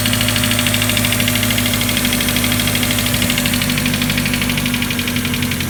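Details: Mazda Miata first start after replacing all four injectors (shop diagnosed cylinder 3 misfire, bad injector; plugs new, coil pack and wires fairly new): lumpy, stumbling idle with faint hiss of an unlocated leak; runs on four then drops to two cylinders; misfire at idle.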